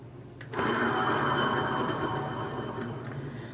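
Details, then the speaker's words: Honda Accord with rotor off on the side where the caliper piston came out, hub spun by hand: loud, dry, gritty whir fading as it coasts; bad wheel bearing. "unfortunately we have a bad wheel bearing this thing is pretty loud and you can see how it just spins"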